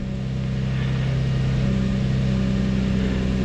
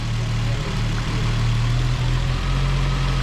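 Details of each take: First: Infiniti G35 at idle, key on engine running, during an injector balance test with number one injector disabled: steady low drone with an uneven loping beat, one cylinder dead; idle changes, then recovers when the injector is re-enabled. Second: Infiniti G35 idling after spark plug replacement, possibly a cold start, no misfire though the owner thought it puttered slightly and it smoked a little; smooth, even low idle with a steady drone, running cleanly on all cylinders.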